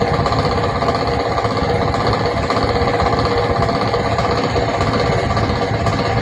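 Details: 24V DC fan in a train coach that makes a strange noise every 5 minutes: steady coarse rattle, about four a second, over the fan hum; low voltage or motor fault suspected, unconfirmed.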